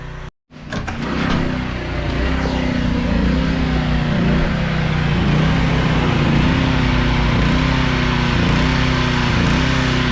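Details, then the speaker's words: Small engine runs three to five minutes, then surges and dies from fuel starvation; speed hunts about once a second until the gas cap is cracked open and surging stops, showing a blocked gas cap vent. "all right you can hear it surge it's starting to run out of pool and then watch as i crack the cap and it will stop surging"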